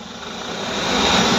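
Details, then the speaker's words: Mahindra Bolero BS6 diesel, parked, neutral, handbrake on, after cleaning blocked urea dosing nozzle; DPF service regeneration raises RPM automatically to loud steady high idle with thin whistle. "Start দেখিলে RPM automatically high হৈ গৈছে ৰিজেনেৰেশ্যন চলি আছে আৰু ইঞ্জিনৰ আৱাজ যি গতিকে বহুত বেছি"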